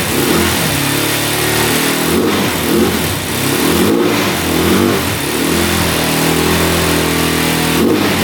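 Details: 2004 Suzuki LTZ400 quad sat 10 years, plug removed, oil added, run out of gas to avoid flooding: single-cylinder revs up and down cleanly with no misses; flooding with low compression suspected. Normal revving.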